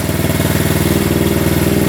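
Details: 1972 Honda CT70 single-cylinder, all-original auction bike being revived after a bogging issue, idling in neutral after rewiring; quick, even putter with a steady beat, no misses or knocks; healthy normal idle.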